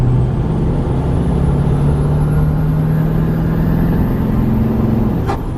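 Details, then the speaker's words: Nissan Titan XD Cummins diesel with new cold air intake: loud turbo whistle under boost, then a sharp chuff when lifting off at peak boost; normal compressor surge on lift-off. "Oh! Whoa! I let off when it was at peak boost, and it just went like chuff."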